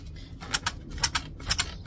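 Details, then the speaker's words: Kingsong S22 electric unicycle after shock bolt upgrade: sharp squeaky clicks in pairs about twice a second as slider suspension works; owner suspects a busted bearing, unconfirmed. "I don't know if you can hear that that it 'll be super annoying and I think this is um something with one of the probably one of the bearings that is busted within the um thing"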